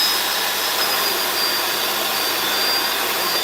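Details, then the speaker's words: Bissell 2X vacuum with suction problem, tested at the main base of the machine with brush spinning: smooth, even high-pitched rush of air, no surging or dropouts; suction motor pulling steadily, healthy. "That's it. Good. All right. The first part is done. Suction is at the main base of the machine."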